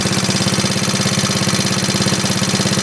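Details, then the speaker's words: 1939 Onan DC generator rated 115 V, running after repair; meter reads 116 V. Steady, even governed thumping with no hunting, misfires, knocks or smoke. "That's good, steady. Look at that, Mike. No smoke or nothing. Yeah, that's pretty good."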